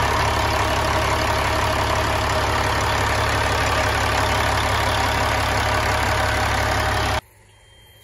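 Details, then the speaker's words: 1999 Peterbilt 379 with recently overhauled Cat 3406E 2WS diesel, no active codes: steady even idle with smooth clatter, no misses or knocks, then clean shutoff; normal idle, runs and drives fine. "And uh it starts and drives and runs runs fine."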